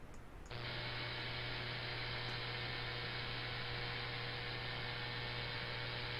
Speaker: As you can tell, that noise was pretty severe. and it really uh really uh tore things apart.